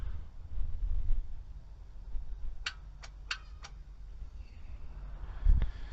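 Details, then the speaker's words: 2009 Honda Civic no-start: key turned to crank gives only sharp metallic clicks from the starter solenoid with no cranking; the motor never turns and the fault is traced to the starter. "okay so when I try and crank it all I get is a click you know see if we can get this a little closer"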